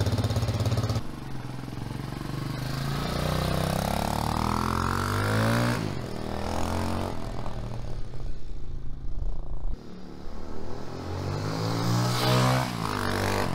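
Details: 2021 TaoTao TBR7 229cc single-cylinder dual-sport motorcycle on a ride after rejetting the stock carburettor, warmed up a little: pulls cleanly through rising and falling revs, no stumbling or popping; normal running.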